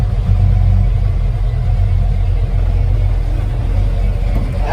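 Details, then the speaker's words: Carbureted V8 Ford truck with a 2-barrel carb and 3-speed FMX auto, not driven in a couple of weeks, very warm day: steady, even low idle rumble with no knocks, misses or surging; owner says it starts right up like a Swiss watch; normal idle. "This thing usually starts right up with no problems at all. This thing is like a Swiss watch."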